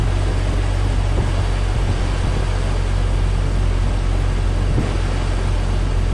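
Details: 1998 Jeep Cherokee XJ, AMC 4.0 inline-six, after radiator replacement and coolant fill: deep steady low rumble settling into an even idle with no knocks or misses; healthy.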